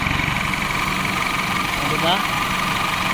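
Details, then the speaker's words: Isuzu Alterra diesel after repairing a chafed injector wire that had shorted to ground: even, steady idle with no stumbles; check engine light gone, running on all cylinders. "Okay so paandarin natin tingnan natin kung okay na ba talaga sa inyo tingnan natin kung mawawala yung check engine niya one click Wala na siyang check engine light good"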